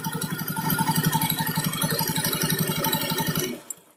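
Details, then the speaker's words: Honda Beat FI Eco CVT, wheel turned by hand after sanding; rough pulsing grok-grok grind about four per second, suspected from the worn needle and ball bearings inside the rear pulley bowl, also causing vibration when riding. "Suaranya itu seperti grok-grok seperti itu. Tapi saya rasa dari suaranya itu dari lahar mangkok pulinya yang di dalamnya itu, yang dua itu, yang lahar bambu sama lahar biasanya itu."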